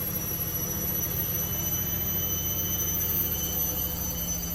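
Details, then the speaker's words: Candy Grand O Vita GV139D3 9 kg washer, street find, 14-minute rapid test wash: a steady whine with even high tones and a smooth rumble underneath, no banging, not wobbling badly. A normal ramp into the final spin, approaching 1000 rpm. "I don't think that's 1,000 spin yet. That sounds like its final spin now. It's getting there."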